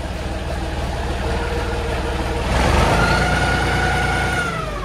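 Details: John Deere 5400 tractor with hydraulic reverser transmission, after being split and repaired for a driveline noise: even diesel chug that picks up smoothly as the revs climb, with no grinding or knocking; sounds healthy.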